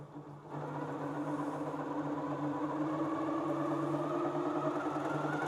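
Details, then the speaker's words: Grace Company Little Rebel sewing and quilting machine, new, run with the bobbin case and foot removed from slow speed up through its range: an even whirring hum that climbs steadily with no knocks. Normal running. "Okay, here we go, slow speed. And we'll speed it up slowly as we go."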